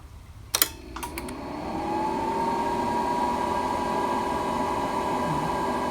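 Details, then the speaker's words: Drill press upgraded with a 2.2 kW single-phase-to-three-phase VFD: at power-on and drill start, a few relay clicks, then the relay-controlled cabinet fan (fitted with a flyback diode) spins up to a steady, even whir. Working normally. "hopefully you can see it there, the fan has come on, controlled by this relay here."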